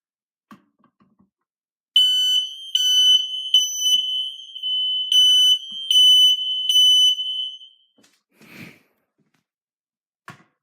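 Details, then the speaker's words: Kidde ionization smoke alarm (model possibly 1275), hardwired and interconnected, sensor test: shrill high-pitched beeps in quick repeating bursts then silence; sounding properly, confirming interconnection wiring works. "we could also verify that the interconnection and wires are correctly wired because we also hear the smoke alarm sounding"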